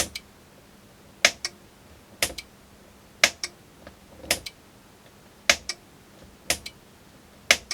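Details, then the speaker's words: Generic electric pressure pump controller on the bench, pump disconnected: sharp paired relay clicks about once a second in a quiet room; relay switching normally, so no run would point to the pump. "if your unit's clicking like that then and it still doesn't run that's something to do with the pump"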